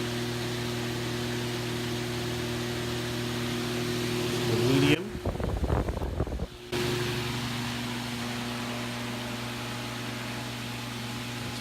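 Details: Vintage Vornado model A12D1-10 large desk/table fan, just oiled, running: a steady, even hum at constant low pitch with smooth airflow and no rattles or scraping; the fan motor sounds healthy.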